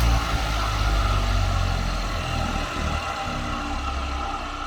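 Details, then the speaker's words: Vintage ILGJET 24-inch type Q fan motor on original dry worn 6203 bearings, before replacement with Timken 6203s: coasting down after switch-off with a gritty dry rumble and faint rattle. "They have a nice dry sound to them. So we'll see what this sounds like when I get the new bearings in."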